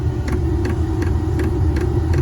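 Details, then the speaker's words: Newly installed diesel air heater in an MCI bus RV conversion, start-up with bubbles still in the fuel line: even ticks about three a second over a low burner rumble as it lights. Fuel pump ticking. "Well, you can definitely hear that. You can hear that pump just clicking away."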